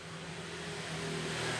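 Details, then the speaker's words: Small electric fan repaired for slow, twitchy turning on speed 3: soft, even whir holding steady pitch as it settles at low speed, no twitching or scraping; after repair it runs smoothly and quietly, normal fan run. "Quạt giờ quạt cực kỳ mát rồi các bạn thấy không, quá ngon."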